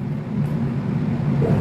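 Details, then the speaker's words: Electrolux EWT top-loading washer filled manually by hose. Heavy, uneven, labouring drone as the agitator motor strains with too little water in the tub. "Oke saya lanjutkan lagi karena ini airnya Terlalu kurang jadi mesinnya bekerja sangat berat ya"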